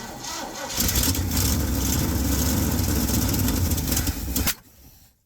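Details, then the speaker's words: Old Ford F100 V8 that sat long, mice-chewed dash wiring suspected, crank attempt: starter cranks, engine catches and runs ragged for about four seconds then dies; ignition fault. "Also, check this out. It's got a pretty gnarly ignition thing going on. Here's a tachometer bouncing all over the place."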